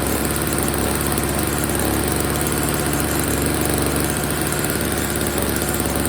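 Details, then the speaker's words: Old Snapper two-stroke snow blower, first start after storage with fresh oil-gas mix, before repair; steady, even putter at constant speed with no misses or knocks, running pretty good except it's dumping gas: normal running. "Alright, it's running pretty good, except for this problem."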